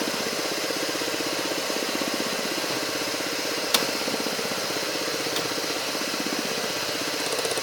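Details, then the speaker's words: 2009 Ford Fiesta 1.0, warm idle with the mic near the engine: quick light ticking about four per second from the canister purge valve, whose cracked hose leaks vapors; from inside it seems like something loose in the dashboard. "então pessoal esse barulho é decorrente dessa bobina de bago aqui e após algum momento que o veículo está funcionando ela começa a fazer barulho"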